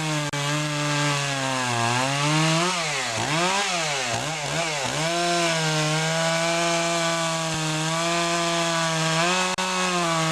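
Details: Poulan Pro two-stroke chainsaw after fixing a clogged air filter and sharpening the chain: steady high-pitched scream, dips twice around three seconds, recovers cleanly to full revs; normal running.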